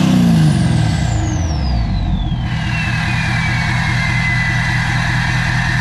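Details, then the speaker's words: King Ranch first start after installing No Limit Fab turbo, S&S DCR conversion and GDP piping, no leaks: rev drops to steady diesel idle, turbo whistle fading smoothly; normal idle and rev. "we're just about up to operating temp and so far so good so I don't want to jinx it but I think we can consider this as a success so far that sounds so good"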